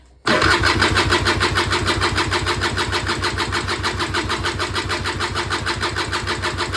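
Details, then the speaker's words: Auction-bought Peugeot Speedfight 2 100cc two-stroke scooter, long unused, spark confirmed, carb possibly not yet full: steady starter cranking about three pulses a second, never catches or speeds up; cranks, no start, cause unknown. "No, nothing again. So in the interest of the video, I'm just going to have a little play around, see what we can figure out, and hopefully we will get it to fire into life at some point soon."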